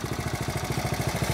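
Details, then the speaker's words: 1970 Honda Trail 70 single, revived with fresh fuel and stabilizer: quick, steady little thumps with even pulses, no ticking or clatter; healthy idle. "I did put some stable in it just this evening I'm sorry yesterday evening but you can see she's uh that sound brings back memories no issues"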